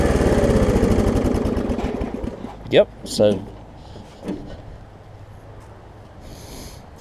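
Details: Snapper 28-inch rear-engine rider mower, single-cylinder engine; after fitting a new pull rope it catches and runs with a quick, even putter. Owner unsure whether the choke works properly. Normal running.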